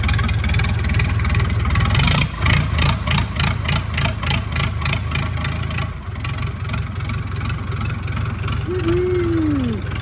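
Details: Massey Ferguson 168 diesel tractor, just restarted after about two months of restoration: even diesel clatter at a steady idle, recovering smoothly from a brief dip, with no knocks or misses. Healthy idle.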